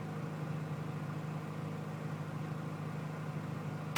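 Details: 2005 Powerstroke 6.0L diesel cold start: steady, even cranking with no firing pulses, then a short burst at the end; turns over but won't catch. It had been plugged in about 5 hours but the breaker blew, so the batteries were low.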